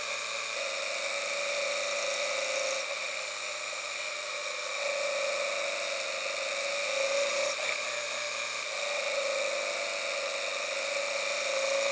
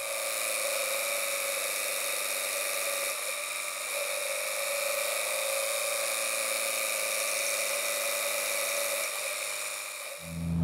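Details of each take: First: Engine under load held in one RPM range, ignition timing advanced two degrees per pull past the knock threshold: steady high drone with faint irregular sharp pings, heard through an audio knock detection gauge; light detonation knock. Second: Tuned car in third gear, held at about 3000–3500 rpm under load with left-foot braking, ignition timing pulled four degrees as a safe baseline, heard through audio knock detection: steady high whine and hiss, no pinging or ticking. Knock-free running.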